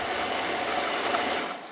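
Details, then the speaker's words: Motorcycle radiator cooling fan, which had been seizing from dirt, bench-run on a 12 V supply after cleaning and WD lube: a steady, even whirring hum with no catching or scraping, then a smooth spin-down. It runs freely and normally now. "but it's not seizing anymore. It's not getting stuck."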